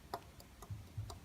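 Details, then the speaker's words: Mazda MX5 engine during rebuild, engine not running: faint sharp metallic clicks as the connecting rod is rocked, showing play in the failed number three big end bearing that was making the running knock; shell bearings found badly worn. "you hear that yeah that is the knock"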